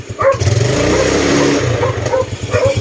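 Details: Yamaha Mio Sporty scooter, still slightly cold, after sealing airbox leak: picks up smoothly from lumpy idle and holds revs without bogging, then settles; previously died or flooded when revved, now running clean.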